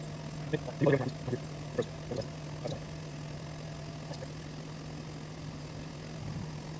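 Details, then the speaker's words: Diamond turning lathe cutting a homemade record after zeroing the stylus tip by reflection: quiet steady low hum, faint hiss, a few light early ticks, no chatter; the chip pulls off cleanly and spools on the center nut/washer. Normal cut. "there it is cutting lots of glare it pulls that chip off pretty nicely and clears it and uh we just let that cook"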